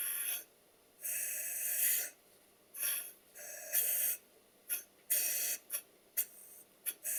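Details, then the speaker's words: Stuart Double 10V model steam engine, big end shells just tightened, run on compressed air: uneven puffs, some crisp chops, others long wheezing hisses, one valve wheezing at both stroke ends; valve timing fault. "you listen carefully to the noise that the engine's making, you will hear that one of the valves admits and exhausts nice and cleanly with a bit of a chop, and the other one just wheezes at both ends of the stroke."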